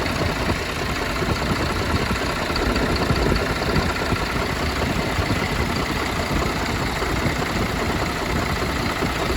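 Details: MAN TGM 18.340 truck, D0836 LFL65 diesel at 745,889 km, after engine rebuild for smoke, misfire and no compression in cylinder six: steady, even idle with smooth low rumble, no knocks or misses; oil pressure being checked mechanically.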